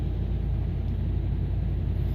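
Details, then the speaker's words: 2016 Dodge Ram 5.7 V8 after head and lifter job, first start on a weak battery, good oil pressure; deep even idle with no miss, faint lifter ticking as lifters pump up, normal idle. "se siente bien parejita la camioneta muy poquito suena suena los botadores o se oye que rápido se está se están cargando pero lo que me gusta es que no se siente que falla nada está parejita"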